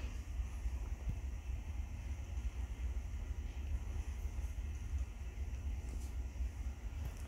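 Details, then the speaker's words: 52-inch Homestead Universal ceiling fan with new light kit, running on low: constant low droning rumble, unusual noise of unclear cause; owner unsure. "yeah that really i don't know why it's making that noise a lot but i think i'm gonna just turn off the switch"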